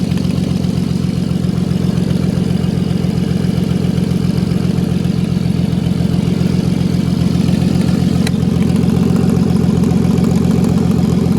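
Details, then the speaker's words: MK5 VW Golf R32 Turbo at idle: fast, even ticking puff at firing rate on the exhaust note from a leak between the cylinder head and exhaust manifold, reused old gasket; to be resealed once cooled. "So it sounds like it's coming from the exhaust, between the head and the exhaust down here."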